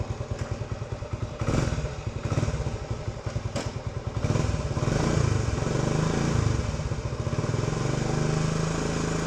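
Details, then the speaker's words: Cold start of a 1970 Honda CT90 Trail 90 small single with about 3,700 miles: coughs to life, then settles into a steady, even putter with quick regular exhaust pulses; a healthy, easy start. "And my hand here on the exhaust shows that this is cold, hasn't been started yet. Wouldn't be able to do this if it had. So let's start it up."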